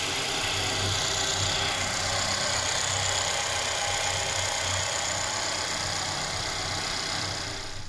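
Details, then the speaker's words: 2013 Mercedes E-Class coupe (207), M274 engine, 33,000 km, after timing chain repair for intake camshaft position codes; check light went out by itself: fast, even idle with steady rhythm and bright mechanical chatter, no rattle or knock. "чек уже сам потух запускается идеально быстро без каких-либо проблем"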